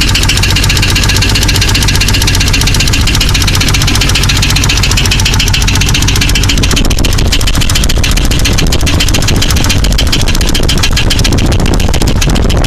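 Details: Jeep 4.0 at steady idle: a loud, fast, even valvetrain-type tick that gets louder at higher rpm. It persists after replacing all lifters and pushrods, with all rockers moving; the cause is not yet found.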